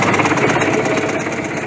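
Small engine catches and settles into a quick, even run with a light rattly clatter; it fires up and keeps running normally.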